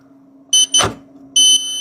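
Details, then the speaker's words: 48V e-bike charger (54.8V no-load) that smoked: two sharp continuity beeps show a short again; the new 5.1V zener blew instantly because a 7.5K resistor had been swapped for 0.5 ohm. "兄弟们，果然啊，这边这个稳压管往上一换，立马就击穿，还是有问题啊！"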